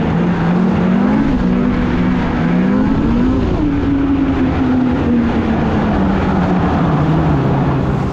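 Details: 2016 Polaris Indy 600 SP two-stroke snowmobile after plugged fuel filter fix and new Ultimax belt, grass dragging without snow: strong wail climbing and holding high revs under heavy load, smooth, no stumbling, hitting needed rpm; healthy full-throttle run.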